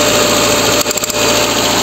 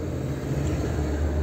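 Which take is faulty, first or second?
first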